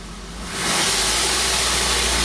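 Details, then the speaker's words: Engine with a plugged bank 1 exhaust, oxygen sensor removed so its port acts as an open exhaust: a loud, raw, hissing roar builds and holds high revs. The engine now revs higher, confirming the restriction. "It's going to be loud, but I should be able to rev it up, even though my bank 1 is plugged up."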